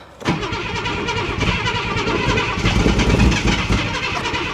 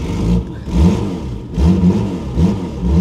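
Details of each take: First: Ford Granada Mk2 2.8 V6 automatic, parked 20+ years: fires on priming fuel poured in, runs rough and lumpy without settling to idle, oil pressure building; starved of fuel, owner thinks it needs more fuel. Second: Ford Granada Mk2 2.8 V6 automatic, parked 20+ years, just revived: good oil pressure, a bit smoky; engine picks up cleanly on throttle blips and drops back evenly, no knocks or misses, sounds very sweet.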